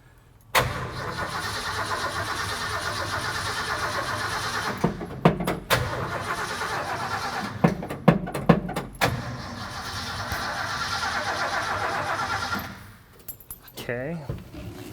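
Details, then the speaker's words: 1972 Ford F-100 V8, sat in a field 10 years, first start attempt: long steady cranking with uneven clatter and clicks, no firing; no fuel reaching the engine, line plugged somewhere, tank suspected. "all right we're completely plugged up somewhere then let's pull the line off and see what happens"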